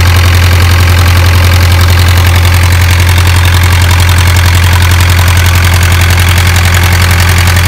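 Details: Isuzu 4BA1 85 hp diesel driving 5-inch single-impeller water pump, pushing water about 800 m uphill to irrigate 20 rai durian orchard: loud very regular low beat holding steady speed under load, no knocks or surging; healthy.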